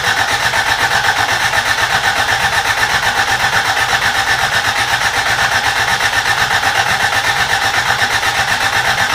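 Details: Rebuilt carbureted Toyota Corolla, first start attempt: starter churns evenly about four beats per second, never catches; crank no start, fuel not reaching carburetor suspected, old gas believed bad.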